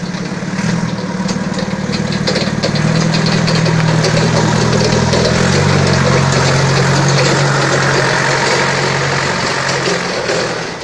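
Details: Balkancar diesel forklift loader after repair with rebuilt engine, clutch, brakes and running gear, glow plug preheat: steady idle with an even firing beat, no knocks, rattles or misses, smooth and healthy throughout; normal idle.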